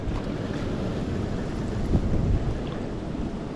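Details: Jacuzzi pump running: steady rush of churning water over a low even hum with no knocks or surges; normal pump operation.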